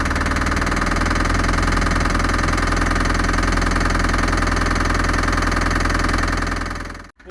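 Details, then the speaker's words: Land Rover Series III barn find idling on its own, loud and rough, with a steady knock about 158 a minute on top, and it doesn't rev well; the knock is suspected to be top end but not diagnosed. "it runs like a Bag of Nails it actually idles on its own it doesn't rev very well and I'm not sure what that knocking is but it sounds like a top end knock"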